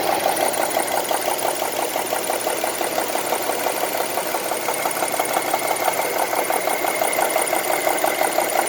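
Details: 2002 Honda CR-V running 10W-40 oil: light, quick ticking at about three per second over a steady idle, even and persistent; cause not identified.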